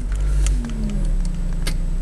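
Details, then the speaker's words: Ford Focus 1.8 Ghia idling after starting on petrol; a few sharp clicks from the LPG system in the boot as it switches over to gas normally. "a click from the boot. When that stays solid, it's flicked over to LPG, does a few checks. There we go, it's now running on gas."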